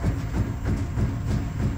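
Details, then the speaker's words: Opel Zafira C Tourer IDS+ adaptive front shock absorber (ZF CDCE), leaking oil from the piston rod, cycled on a test bench before repair: steady deep knocking about three times a second as damping force suddenly disappears past about 230 kg, rod moving through vacuum. "You can hear a knocking noise You can also see the oil leaking from the piston rod The knocking of the shock absorber can also be caused by the sudden disappearance of resistance after approximately 230 kg of force"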